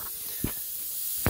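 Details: DIY vapor blaster cabinet with a refurbished solenoid, foot-pedal triggered: a steady high hiss of escaping air under two short air dumps as the cylinders refill; the leak is from another cabinet, the solenoid itself not leaking.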